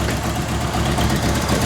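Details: 1985 Merkur XR4Ti, first run after a broken inertia switch was found that kept the fuel pump from running: an uneven, lumpy idle with irregular low pulses and a slight stumble; rough idle, cause not yet found.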